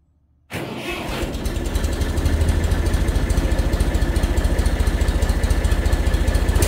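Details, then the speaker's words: Tractor engine after new muffler replaced a rusted-off one (previously straight pipe): catches after a brief crank into a steady, even low putter; much quieter though still somewhat loud. "say that's a hell of an improvement. I think it's still kind of loud, but it's a tractor, right?"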